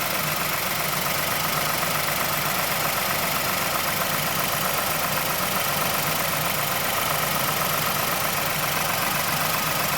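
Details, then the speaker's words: 2006 Mazdaspeed6 at idle after cold start, sat a minute: light ticking near four per second over engine hum from timing chain area, inside engine; suspected VVT/timing chain noise per Mazda SSP-87, not confirmed. "Sound really sounds like it's coming from inside the engine"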